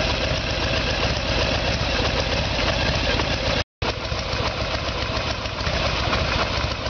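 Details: 1994 Harley Sportster Evolution with a 1996 engine, carburetor found to be the problem; idle while ignition timing is checked with the two dots centred in the timing window. Loping V-twin idle with a steady beat and no knocks or misses; idling normally.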